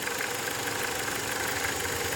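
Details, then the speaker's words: VW/Skoda/Audi TSI petrol engine at idle (1.8 or 2.0 TSI): light, quick ticking over the hum, mistaken for camshaft noise; vibration felt at oil cap, not cam cover; caused by oil pressure regulating valve. "The noise is coming from the oil cap, not from like the cam cover. If I touch this, there's no noise."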